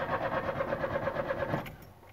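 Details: Chevrolet Corsa that died suddenly while driving, fuel present; starter spins the engine at a steady, even pace of about eight pulses a second but it never fires; crank-no-start from a disconnected crankshaft position sensor.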